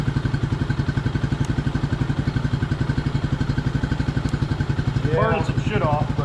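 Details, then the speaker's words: 1999 Suzuki DR200 single revived after sitting about a decade, now at 796 miles with 40 put on since: steady, even single-cylinder thump at a relaxed idle with no knocks or misses; running normally. "it's got 796 miles on. So, we put 40 miles on it. Sounds good."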